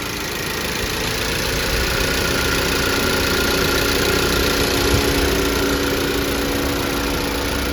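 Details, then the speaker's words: 2016 Ford Focus idling right after new spark plugs were fitted, replacing bad plugs on cylinders one, two and three. Even, steady idle with a light regular tick and no stumble or miss; normal running. "That means everything is nice right there. It's riding good cuz bank one, two, and three of the spark plugs were bad."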